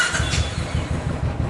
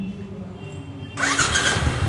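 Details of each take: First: Royal Enfield Classic (350 or 500 Desert Storm) after the starter one-way bearing repair and fresh engine oil: quick, even thumping as the starter spins the single, no grinding or slipping; healthy starter engagement. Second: Royal Enfield Classic 500 (Desert Storm) electric start: harsh rattling grind as the single-cylinder engine cranks and catches, attributed to the starter one-way clutch bearing.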